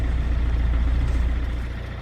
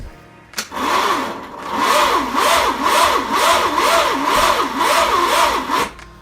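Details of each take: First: Well, look at that. clean as a whistle on a cold start in early December. That's incredible. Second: Starter cranking an engine on a cold start, ignition disconnected and a fresh battery fitted. Loud, rasping starter whir with an even rise-and-fall, about two beats a second. The starter is noisy but still turns the engine over freely.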